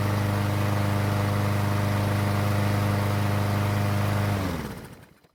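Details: Troy-Bilt mower that wouldn't start after winter, test-run after the fix on its original gasoline. Steady, even chug at about 3.5 beats a second with no misses, then a clean shutdown: healthy.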